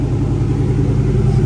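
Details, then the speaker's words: 1998–04 Mustang Cobra first start after modifying the fuel pump basket for more flow, fuel system primed several times: deep, steady low rumble with an even beat, no ticking or knocking; smooth healthy idle, no fuel leaks found. "let's see what happens she loves it all right sounds good just make sure there's no leaks under"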